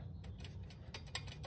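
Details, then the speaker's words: 2008 Nissan Sentra engine bay: loose irregular clicking as the belt tensioner idler pulley is rocked by hand after loosening; damaged pulley bearing causing the rattling, pulley replaced. "that's the idler pulley jiggling around on the damaged bearing that's what's causing the noise"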